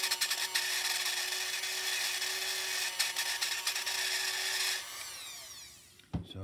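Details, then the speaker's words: Lionel track cleaning toy train car with rusty, dirty wheels and dry axles: harsh, high scraping grind with uneven rasp as it runs, before lubrication and cleaning; grinding noise, cause suspected. "rusty dirty wheels is not a good thing listen to that boy that's really crappy but that's all right we're going to take care of that"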